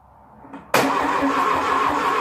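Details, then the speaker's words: 1972 VW Beetle 1200 engine laid up for decades, with fuel poured in: the starter spins it at a steady pace but it never fires; the distributor points are then cleaned with emery paper. "so i'm going to pop open the distributor see what kind of state the points are in"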